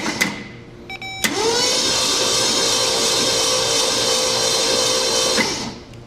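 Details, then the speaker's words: 1966 Mercury Montclair, believed 23,000 original miles, not run in 20 years, cranked by jumping the starter terminal with all plugs out: a fast, even whir for about four seconds with no knocks or grinding. Normal cranking. "Good. This thing cranks good. I didn't hear anything weird. No no no noises, nothing."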